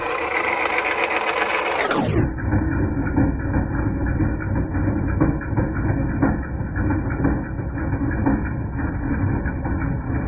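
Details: 2010 Jeep Patriot Sport 2.0 idling with an uneven metallic clanking about once a second. Power steering pump, pulleys, tensioner and belt were replaced without curing it; replacing the alternator stopped the noise, so a failing alternator was the cause.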